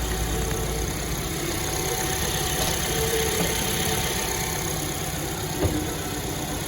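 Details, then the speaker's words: Suzuki Ignis after its worn, whirring water pump was replaced and coolant topped up: a smooth, even idle with a soft, steady hum and no whirring or grinding from the front of the engine. Normal idle. "So there you have it, going back on the car now, topped up the coolant, you can hear it running and it sounds a lot better."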